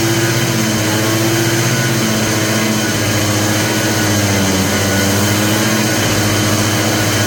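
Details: Polaris Trail Boss 250, just revived: loud, slightly wavering idle with uneven pulsing underneath, not a clean settled idle. The owner suspects a plugged carburetor idle circuit; the cause is not confirmed.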